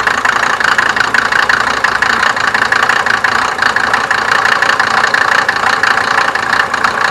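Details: 1987 Mercedes 190D, OM602 2.5L five-cylinder turbo diesel, before Diesel Purge cleaner: loud, busy diesel clatter at steady idle with even rattle throughout; no clear fault heard.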